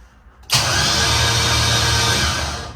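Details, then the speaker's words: Z2H8 drag Camaro after complete rewiring kit install, starter works once shifter neutral safety switch plugged in: starter engages sharply and spins the engine evenly for two seconds, then winds down; healthy cranking. "oh yeah neutral safety switch winning already get that guy plugged in now we should have starter"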